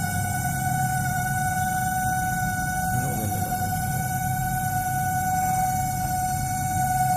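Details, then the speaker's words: LG MS1911HE microwave oven running on a 1-minute timer; steady loud hum with a fixed tone over a rough low drone from the fan motor; the noise stopped after greasing and oiling the motor. "इसका fan motor में आवाज़ कर रहा है। ये जो आवाज़ सुन रहे हैं फैन मोटर का आवाज़ है।"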